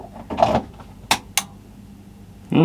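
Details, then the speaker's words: Kenwood KRF-V6300D 5x100 W surround amplifier, bought cheap with a dent, at power-on: two crisp clicks about a third of a second apart as the power relays pull in normally; likely not much wrong. "gonna click now we have some fancy stuff up on the front we've got more clicks so it's probably not an awful lot wrong with this thing"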